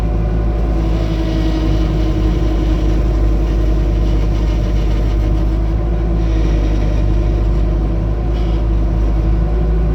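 Deep steady diesel rumble with a faint constant whine riding over it as the loader turns, an unusual noise during turning.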